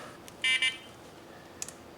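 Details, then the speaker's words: Quantum 4front 1 power wheelchair being converted to R-Net electronics with a seating module: after plugging the seating module into the joystick and powering back on, two quick high-pitched beeps at power-up as the controller runs another auto-detect; seating module then clicks. "Heard a little noise out of this. Turn it back on. Probably another auto detect."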